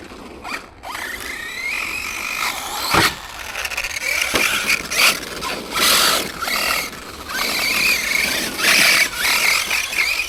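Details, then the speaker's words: Arrma Granite 3S BLX RC car with aftermarket centre diff, centre shaft worn by grit: high scratchy squeal and grind in bursts while driven. Drivetrain grinding squeal; car won't roll free, owner suspects the centre diff. "The only other problem with this is that the centre shaft's getting eaten away with grit. That don't sound good, does it?"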